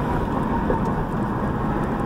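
Even road hum and engine drone while cruising, with no squeak, click or clack from the front wheel; the bearing sounds healthy.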